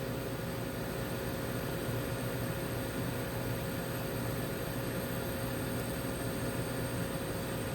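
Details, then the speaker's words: Gweikecloud laser cutter after removal of its internal fan, running with an external fan and air assist: only a soft, steady airflow hiss and low hum with no fan roar or rattle; normal, quiet running. "Looks like the fan is working. That means I don't have to put that white Gweikecloud fan up. This is great. It's so quiet."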